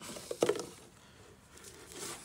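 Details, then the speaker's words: Land Rover Discovery 2 TD5 front wheel bearing hub, new part spun by hand: faint light whir with no grinding or roughness, unlike the rough original 20-year-old bearing; smooth wheel bearing. "is very smooth yeah no noise"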